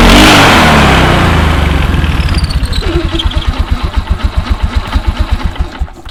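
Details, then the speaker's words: 2004 Polaris Sportsman 400 after drive belt replacement, in neutral with parking brake set: starts with a loud rev, throttle blips, settles to steady even thump; clutch and belt functioning normally. "just fire it up give the throttle a couple of blips in neutral and make sure that the clutch and belt and everything is functioning as it should"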